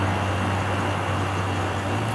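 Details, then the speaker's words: 1986 Carrier 5400 BTU window air conditioner found at a transfer station, running: steady even low hum with soft airflow hiss, freon audible flowing, fairly loud, little vibration, no rattles or knocks; runs normally. "so it works you can hear the freon going through it"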